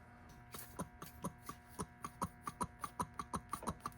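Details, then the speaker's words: Polaris Sportsman 500 mechanical fuel pump tested off the machine by blowing and sucking air through it: light, quick diaphragm clicks about four or five a second. "I can hear the diaphragm clicking in and out."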